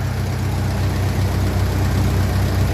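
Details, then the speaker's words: 1957 Ferguson 35 TVO tractor idling while warming up on petrol, with rocker shaft replaced and valve clearances just reset after inlet clearances had grown large; low, steady idle, barely any tappet tapping; normal idle. "fairly minimal there at the moment and as I said at least twice before in these videos after I set the Val cleance if it keeps sounding the way it sounds I'd be very happy"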